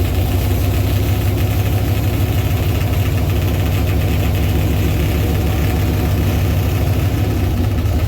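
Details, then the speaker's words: Chevy Tahoe with a 6.0 V8 swapped in for a knocking 5.3, longtube headers and a Flowmaster FX muffler: a loud, deep idle with a fast, even slapping chatter from the engine fan hitting its shroud. "So I found out what that noise was. Yeah, the fan was beating the shit out of this funnel right here that I was looking for about 10 minutes yesterday."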